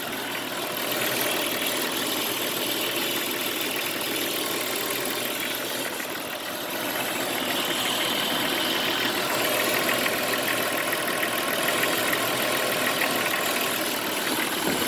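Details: Jeep Cherokee XJ petrol engine at idle: fast uneven rattle about four a second over hissy metallic wash, with hissing and scraping noise near the power steering pump area; cause unknown; engine rattle at idle.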